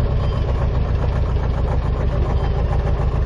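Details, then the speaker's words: Chevy S10 pickup with a worn manual transmission: rough, uneven idle with a dull knock about three times a second under the low rumble; rod knock. "don't know if you can hear all that rod knock"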